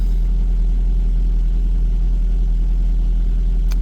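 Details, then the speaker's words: 2009 Ford Focus idling cold during instrument cluster repair test: steady low even idle, no knock or tick, automatic choke cutting out as the engine warms; normal cold idle. "so you can hear the engine is warming up now that's the uh automatic choke cutting out"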